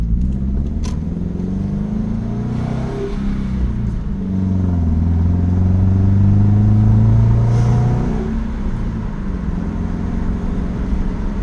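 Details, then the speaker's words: 2015 Subaru Crosstrek XV on a test drive, pulling through the gears; engine note climbs smoothly with no knocks or hesitation under road rumble; good pickup, normal acceleration. "good great pickup nice and smooth braking steering is responsive"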